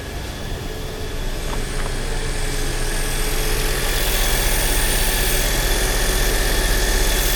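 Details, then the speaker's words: Toyota Corolla after water pump replacement, started in neutral with brake on to bleed the cooling system and warm up: smooth, even low idle rumble settling, no knocks or misses; normal idle. "Okej, zakręcamy. Niech się nam maszynka grzeje. I niech się nam maszynka grzeje."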